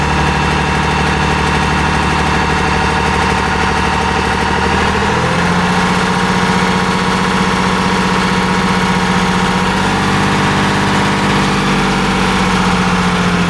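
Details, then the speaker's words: 2024 Ram 2500 6.7L Cummins diesel at idle: faint, irregular typewriter-like tick over the clatter, loosely tied to engine speed, hard to hear when revved; source unknown. "If I rev, you don't really hear it, but it's kind of this asynchronous kind of sound. it it's um they're closely related to the the engine revving um but not quite. It's like a kind of like a typewriter type sound."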